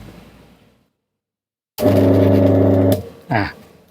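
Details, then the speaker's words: Three-phase motor without terminal markings, second winding pairing test: loud heavy low hum with strong buzzing for about a second at switch-on; windings connected wrong. "อันนี้ก็เสียงดังเหมือนเดิมนะครับอ่าชุดที่2ก็ไม่ถูกนะครับ"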